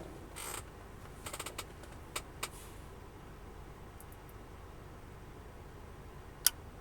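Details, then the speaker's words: Sony XES-M1 car amplifier on the bench after fitting a test transistor gives a few sharp switch-on clicks, a normal start-up; the amp works. "On va l'allumer ensemble. J'espère vraiment que ça va pas casser. On va Il faut qu'on entende les claques."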